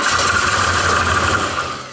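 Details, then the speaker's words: Barn-find BMW six-cylinder, first start attempt since 2001 after new fuel pump, fuel filter and plugs, needing priming, a little throttle: steady cranking with a few uneven catches that fade; it catches but doesn't start yet, running shortly after. "No that sounded promising didn't it yeah give it some throttle not too much just give it a just f it a bit Yeah it wants to go she really wants to"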